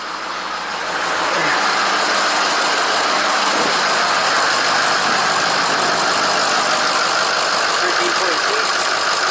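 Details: 2006 Ford F250 PowerStroke diesel at idle after a charging fault fixed with an alternator bypass wire, reading 13.5 V: even diesel clatter and fan whoosh, no belt squeal or whine; engine sounds normal.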